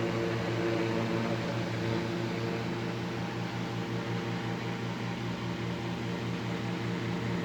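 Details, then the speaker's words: 1940s desk fan running: steady motor hum with a slow uneven throb two to three times a second as the fan vibrates; out-of-balance fan suspected, not confirmed. "it it is vibrating which is not to be unexpected i already knew it vibrated"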